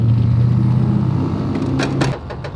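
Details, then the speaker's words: AWD four-rotor engine idling after a fault, oil pressure only 20 psi: low steady hum with a faint gear-like whine, then engine note drops away; owner suspects failed oil pump internal gears, unconfirmed. "You know what that sound reminds me of? Huh? The internal gears of the oil pump. Yeah. That's exactly what it sounds like until it's like."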